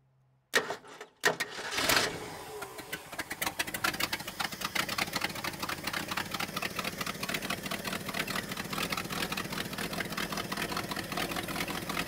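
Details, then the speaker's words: 1968 Ford F350 with 360 FE V8, first start since 2007-2008: stumbles then settles into uneven, lumpy, hunting idle; owner suspects vacuum leak and non-working accelerator pump. "seems like there's a vacuum leak or something huh as longest run so far that's pretty exciting though I don't think my accelerator pump's working"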